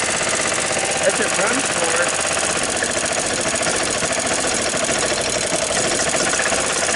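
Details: 1993 Club Car Precedent golf cart, after sitting over six months, now started after spark plug cleaning: small single-cylinder engine chugging steadily with fast even beat, no misses; running fine.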